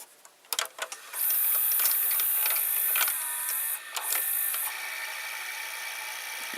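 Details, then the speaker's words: Daewoo-mechanism VCR that also has idler problems and eats tapes, as the mechanism turns. A faint steady high-pitched hiss and light rubbing comes from the capstan motor, which has done this since the VCR was acquired in June 2013. Capstan motor rubbing. "now it's turning, but you can hear the capstan motor like a rubbing. So it has always done that since I have the VCR."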